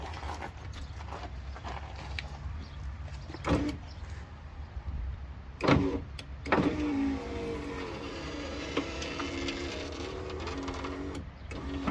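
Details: Power window motor on a 1995 Ford truck after repair of glass sticking partway up and down: motor hums steadily as the glass travels, no grinding or catching, clunks at stops; slightly slow with engine off.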